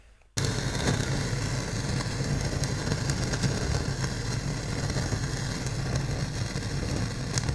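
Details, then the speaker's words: Sansui AU-9900 integrated amplifier (1975–77), never serviced in almost 50 years, recording with only speakers connected and no input; constant low hum with irregular crackles and pops, noise still heard under music with a CD; cause unconfirmed; hum and crackle. "yeah, here's distortion and noises, whatnot. By the way, if you feed any input, like a CD, you could hear the music, plus in the background you get this noise faded, but you can still hear it, you know."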